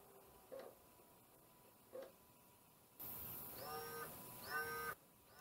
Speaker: the disk drive sounds weird it's definitely going haywire i put it together wrong i think